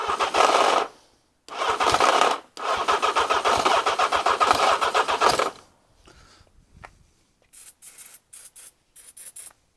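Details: Engine with carbs, starter motor tested fine off a battery: harsh raspy grinding in three cranking bursts with rapid chatter; starter grinding on engagement, owner suspects a chewed cog where it joins the engine.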